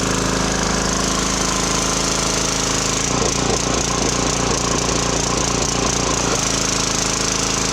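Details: Briggs and Stratton 2900 PSI pressure washer after carburetor cleaning for hard start, no power, running only on choke; started on choke, fast even single-cylinder putter with brief rougher patch: normal running.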